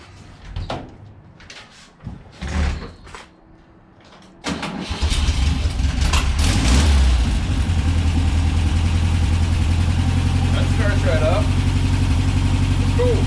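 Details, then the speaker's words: 1963 VW Beetle after new spark plugs, fuel pump clean-out, fresh gas with Seafoam and an oil change, warming up: a few clunks, then a deep, even, steady idle with more power. Normal idle. "okay so it already sounds like it's running nicer [Music] yeah it's got some power to it now"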